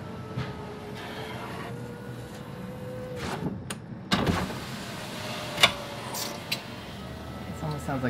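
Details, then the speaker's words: 2017 Mitsubishi Outlander front passenger door after window glass replacement: window motor hums with rough scraping and sharp ticks as leftover broken glass falls to the door bottom and into the tracks. "it's just more glass continued to fall down into the bottom got to get the glass out of the track all the way to the top down the tracks"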